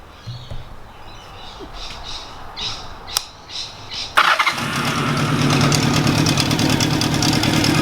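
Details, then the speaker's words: Honda CB750 cafe racer idling after a carburetor rebuild. A light, fairly regular knock or rattle near the bottom of the engine; owner suspects the alternator area, possibly a noisy bearing, but is unsure. "sitting there at idle at the moment it has a little bit of a rattle in the bottom and I can hear it so after starting the engine and just sitting there on idle that little knocking noise it just seems to be coming from the alternator here"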